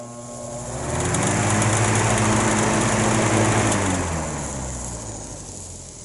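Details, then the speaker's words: Vintage GE All Purpose electric fan: buzzing hum rising and falling as the fan speeds up and slows, with a rough rubbing edge; cause unclear. "i don't know if you can hear it but there's a rubbing noise in that one can't start this one"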